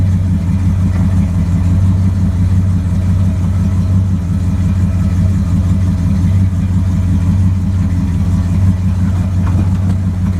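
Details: 1929 Chrysler idling during test drives after brake and wiring work: deep, steady low rumble with an even beat and no misses or knocks; normal idle.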